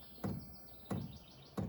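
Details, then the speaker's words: Chinese eBay diesel heater starting up after the temperature was turned up: the fuel pump ticks softly while priming. Three evenly spaced taps, not loud; normal fuel pump ticking. "you can hear that fuel pump knocking a little bit getting everything primed up for the fuel pump it's not very loud at all"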